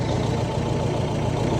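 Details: Ford Mondeo diesel with 406,000 miles, first start after a blind auction purchase: steady, even low diesel clatter at idle with no misses or knocks; normal idle.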